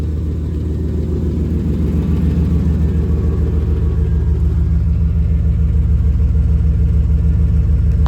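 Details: 350 5.7 Vortec V8 from a 1996 GMC swapped into a 1989 truck: deep idle with a dull repeating knock that comes and goes regardless of engine temperature. Oil filter showed no metal; piston slap, lifter tick or rod knock suspected, unconfirmed.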